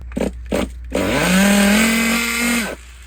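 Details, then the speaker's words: Restored Traxxas T-Maxx Classic nitro 2.5 RC truck, pull start, sounding like a large air leak: a few sputtering bursts, then a screaming note climbs and holds high; over-revving because no throttle return spring is fitted, leaving the throttle stuck open. "Damn, okay, I don't have a throttle return spring on there. I didn't realize how important that was until just now."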